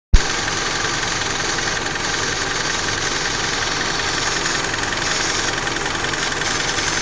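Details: Mitsubishi Lancer engine at a steady idle with a busy, rattly ticking over the engine note; abnormal idle noise, cause not pinned down.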